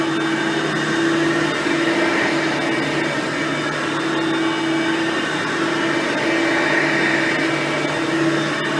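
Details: Hoover Platinum Collection lightweight bagged upright and Oreck XL Platinum vacuums, both direct-air; steady, moderately quiet whirring hum at constant pitch, no rattles or surging; normal running.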